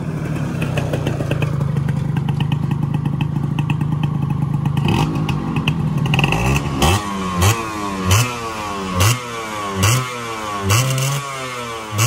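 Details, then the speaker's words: Yamaha 125Z two-stroke on the road, first run after engine rebuild (damaged conrod addressed, magneto checked), stock exhaust: revs climb cleanly through several gear changes and drop back without rumble on throttle-off; normal running. "Oke teman-teman, alhamdulillah bunyi yang ketika turun gas ya, war nggak ada ya, udah aman, udah enak motornya."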